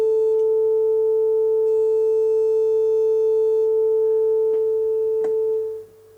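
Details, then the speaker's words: Telefunken Operette 6 radio after added Bluetooth module: 400 Hz test tone over Bluetooth, previously distorted and left-channel only; shorting two pins on the board removes the distortion, leaving a pure steady tone with no buzz or crackle. "and if I now short these two pins here see Distortion is gone so I'm now shorting these two pins here on the on the board itself"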